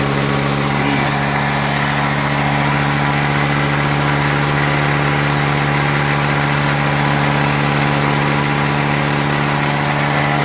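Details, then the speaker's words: Refurbished truck just started, coolant not yet filled; steady idle with slightly uneven, lumpy beat and hiss, smoking, much liquid coming out, no ticking; rough running from coolant seeping past loose intake manifold bolts. "yeah I'm not liking the sound of that oh smoking yeah that's not good no ticking the other thing that's weird is this there's a lot of liquid coming out of here"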